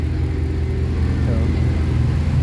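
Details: Abandoned Dodge Dakota R/T 5.9 V8 truck, long sat, running on a borrowed battery; deep, steady low rumble with an even beat and no miss, knock or rattle; normal idle.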